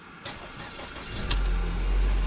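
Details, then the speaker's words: Ford Escape 1.6L turbo with 6F35 transmission, first start after engine and transmission replacement: a short crank, then it catches quickly and settles into a steady low rumble; a transmission fault code appeared right after. "wow it cranked up quicker than I thought it would"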